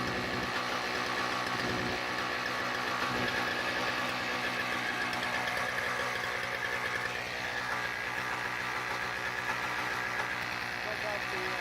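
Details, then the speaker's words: Toro CCR2000 single-stage snowblower, 2-stroke 4.5hp Suzuki engine with Mikuni carb, after carb removal and cleaning, primed, choke open: busy crackly two-stroke buzz holding steady at fast idle with a loose uneven beat; starts and runs fine. "and a working snowblower."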